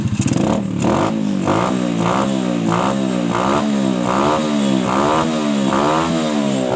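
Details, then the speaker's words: Suzuki Shogun motorcycle, trail-converted for heavy loads, running without air filter, after cleaning a clogged carburetor that hesitated on throttle and adjusting air screw: about eight clean even rev rises with no stumble or bog; normal revving. "Nah, sepeda motor ini pasti enak buat untuk tarikan setelah selesai untuk menguras atau membersihkan pada karbu yang tidak normal ya, agak terhambat bahan bakarnya."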